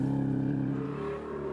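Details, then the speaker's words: 1996 rally car engine spluttering after deep water on a stage: rough running at low revs with a stumbling, uneven drone, misfiring from the start through the whole stage. "the engine sounds terrible. Straight after the start, misfire. All the stage was misfire."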